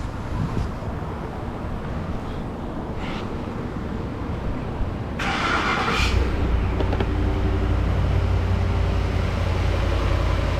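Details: 2010 Ford F-150 5.4 that wouldn't start (dealer claimed new engine needed), first start with all plugs and coil packs refitted: catches after short crank, steady even low idle, no knocking or misfire; running good.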